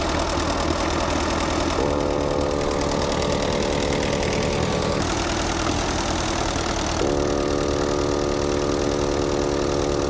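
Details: Allis-Chalmers C tractor with a Woods L59 belly mower at its first start of the year. The idle is steady and low with a soft, even beat and no knocks or misses; it sounds healthy.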